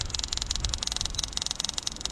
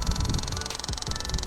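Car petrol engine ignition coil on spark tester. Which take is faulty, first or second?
first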